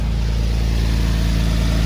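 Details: 1946 Chevrolet pickup straight-six at warm idle after a coolant leak patch: steady, even low idle with a smooth regular pulse and no misses or knocks; running healthy with no active leaks.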